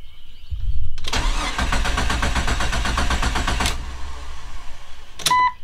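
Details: 25-year-old Jeep Cherokee XJ after a new exhaust was fitted: starter cranks with a steady churn under three seconds, no catch, then a dash chime; cranks but won't start, fuel pump not heard priming; cause unclear.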